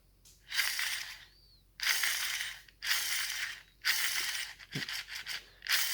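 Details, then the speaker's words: Gel blaster gearbox (SCAR build) during shimming, all shims on top of sector gear: short motor bursts each with a dry scraping whir as sector gear bottom rubs spur gear face; fix is moving a shim underneath. "it's not too bad, but you can hear that sector rubbing on the face of the spur."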